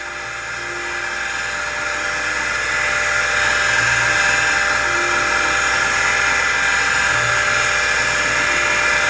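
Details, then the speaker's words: Convergent Technologies AWS Turbo (serial A-17618) with original CM5616 hard drive (256 cylinders, 6 heads): loud, steady high-pitched whir with harsh gritty edge; drive grinding badly but still boots CTOS. "we've got the original cm 5616 in here and it's not sounding so good but heck yeah that really doesn't sound good"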